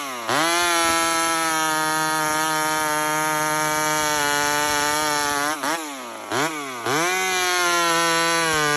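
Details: Homelite chainsaw, 28 full-house stock chain, cutting wood: high steady two-stroke scream, bogs briefly twice in the cut and snaps straight back up; normal strong, clean running under cutting load.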